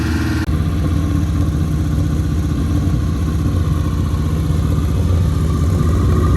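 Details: 1971 Honda 1300 Coupe 9S, air-cooled 1300 engine with four carbs and dry sump, first start after sitting 7 years following ignition cleanup, rebuilt carburetors and fluid change: after a brief dip it holds a smooth, steady run, no stumbles or knocks; good oil pressure.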